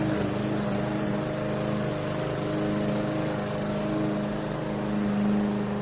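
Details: MTD Yard Machines 20" push mower with Briggs 300E engine, after carb clean, throttle spring adjustment and draining water from gas tank: steady even drone holding speed under cutting load on lawn, no surging or misses; normal running under load.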